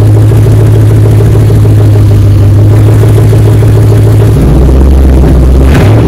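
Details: 2004 Dodge Ram 1500 Hemi 5.7 V8 after muffler and resonator delete, straight pipe fitted. Deep, loud, steady V8 drone that drops lower partway through, no rattles or misses; normal idle through the loud open exhaust.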